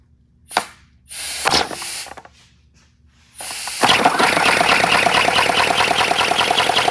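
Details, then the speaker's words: 3D-printed 412cc air-driven V8 model engine on its second run, high friction: after a few puffs of air it runs fast with a rough, clattering chatter and dry rasp; builder suspects it needs lubrication, then pours 5W-30 into the intake. "All right, it definitely sounds like something needs to be lubricated, maybe. I am not sure."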